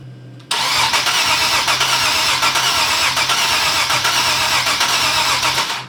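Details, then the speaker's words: Nissan 370Z Nismo VQ engine, first start after air-to-air supercharger conversion and timing/gallery gasket refresh: starter cranks evenly for several seconds with no firing or sputter; fuel pump heard and fuel pressure present; crank, no start. ">> I don't know. It don't really sound like it's trying. >> Yeah, I agree. Ain't sputtering, ain't nothing."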